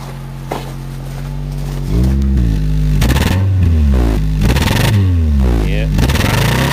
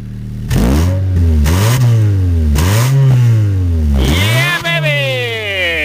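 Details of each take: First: 2007 Honda Fit, 200,000 miles, hesitation at 60 mph, valves likely never adjusted; after replacing one original ignition coil, engine revs unevenly with a stumbling, stuttering note; misfire persists, suspected ignition coil. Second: 2007 Honda Fit, 200,000 miles, drive-by-wire, after service: engine revs up and falls back cleanly several times, pitch following the throttle with even firing and no stumble; healthy engine.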